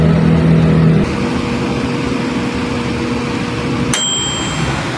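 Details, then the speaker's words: Electrolux microwave oven, after repair of a no-power fault: steady even hum of magnetron and fan, ending with a ding; no more arcing, runs quiet and heats normally. Normal operation. "Kung napansin nyo, wala na siyang, hindi na siya nag-a-arcing katulad nung kanina na parang merong gumaganon siya guys. Ngayon wala nang ingay. Tahimik na siya guys oh."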